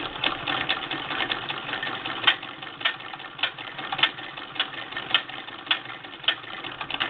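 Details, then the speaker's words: 1947 Singer Model 66 sewing machine converted to a hand crank, with back-tack (reverse) lever: sharp ticking close to twice a second as the crank turns, no grinding. This is normal, harmless hand-crank gear noise. "and that noise you hear is the hand crank um Frank likes to make noise um some of them do"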